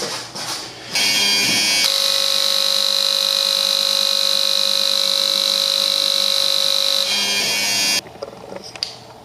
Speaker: once again we're right there so in conclusion we are firing very close to the correct amount of fuel so each injector is performing adequately